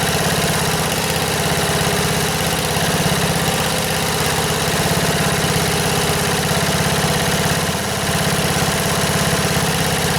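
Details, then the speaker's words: 1977 MTD 990 tractor after no-start electrical fix, running at low revs with deck engaged: steady, even single-cylinder thump, no misses or knocks; runs healthily. "Well, that sounds pretty good. I don't have it revved up very high, but uh the deck engaged and try cut some grass."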